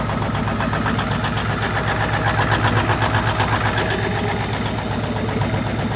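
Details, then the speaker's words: Rare old diesel semi truck revived and started for the first time, 70 lb oil pressure, heavy smoke, mechanical injectors. A loping, uneven idle at about four pulses a second with cylinders dropping out: misfire, expected to clear. "All the smoke. Yeah, all the smoke. Got a hell of a miss."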